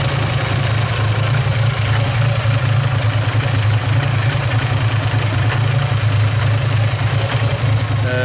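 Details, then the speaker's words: Mk2F VW Polo carburettor engine at idle before the carb flange replacement: slightly uneven wavering beat over a low drone, a hunting idle; owners suspect an air or vacuum leak from a split carb flange, also high fuel use. "Hammond's polos got a bit of a hunting so we're gonna see if we can fix that today"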